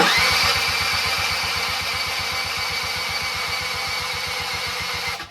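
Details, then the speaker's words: Barn-find Suzuki LT-80 two-stroke ATV, unrun for 5+ years, cranked on a dirt bike battery after excess oil was cleared from the cylinder with brake cleaner: slow, even cranking about eight beats a second without firing; the battery is suspected. "Sounds like my dirt bike battery's not loving this."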